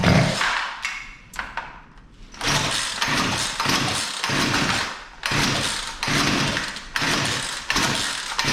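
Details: Poulan Pro P3416 34cc chainsaw, choke on: it catches and revs in uneven bursts, sagging and nearly stalling between them. It is suspected to be running too rich, so the high-speed carb screw is being adjusted.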